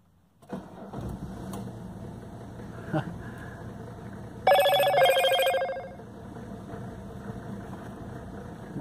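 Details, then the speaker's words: 1985 Mercedes 300TDT (S123) diesel, 500,000 km, first start after sitting outside a whole year, loosely connected battery: short crank, then catches and settles into a steady clatter, with a brief ringing alarm partway through. "how bad for sitting for a whole year and that was the first time that's been started in that entire year"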